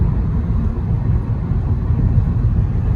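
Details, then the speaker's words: 2011 Honda Accord after replacing the front left wheel bearing (previous rhythmic "boo boo" hum growing in left turns, fading in right turns): steady even low road rumble at cruising speed, no growl or whirr; normal driving, no bearing noise. "The left wheel bearing was replaced and it drives normal, like it should."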